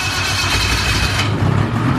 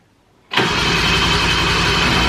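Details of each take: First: 2000 Ski-Doo Grand Touring 600 two-stroke snowmobile, sat outside about 3 years, after cleanup: starts and revs crisply, then settles into an even, lively run with no stumbling; normal start and warm-up. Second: 2000 Ski-Doo Grand Touring 600 two-stroke snowmobile, left outside uncovered for at least 3 years, first start after carb inspection on full choke: raspy, uneven crackle, then revs sag and it sounds tired; rough running after cold start, idle set too low.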